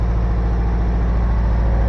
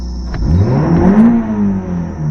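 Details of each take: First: 1985 Toyota MR2, heard from outside at idle, no smoke from exhaust: uneven lumpy stumbling idle, one cylinder not firing (dead-cylinder misfire); spark plugs checked next. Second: 1985 Toyota MR2 after the cylinder misfire fix (distributor cap checked): short crank, then the engine catches cleanly and revs smoothly under acceleration with no hesitation or misfire, still idling a little high.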